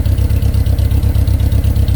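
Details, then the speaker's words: 1987 Fiero GT with a Honda K20 four-cylinder swap and Fiero exhaust, idling before its first drive while coolant is being burped. Smooth, deep, even burble with no knocks or misses. Normal idle. "Does that sound like a 4-cylinder to you guys?"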